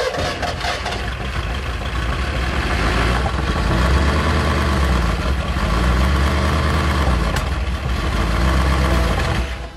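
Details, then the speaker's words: Junkyard 1964 Ford Galaxie 390 V8, hot-wired for weak spark, timing advanced, first start with no oil pressure: it runs terribly, stumbling and lumpy with pops and fire out of the carburetor; the top end stays dry, the valves are barely opening, and the camshaft is feared already wiped. "That runs terrible. I made fire out of the carburetor. Still dry. I think it's junk. I got a bad feeling. The valves are barely opening. It's got no oil pressure."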